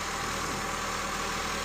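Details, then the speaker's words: 2010 Honda Civic, cold engine at idle after battery replacement for a no-crank no-start complaint: steady, even idle hum with a faint constant whine, no knocks or misses; alternator charging at 14.53 volts, normal. "Okay, 14.53 volts right now. It's at idle. It's cold. Uh, so definitely the alternator is charging with no issues."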